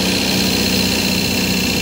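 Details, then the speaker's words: 1972 MGB with SU HIF44 carbs, stumbling off idle to 2000–2500 rpm: idle mixture screws turned half a turn; steady buzzy idle, revs unchanged, mixture still slightly lean and needs richening. "so i'm going to open both idle screws a half a turn and see if that makes any change"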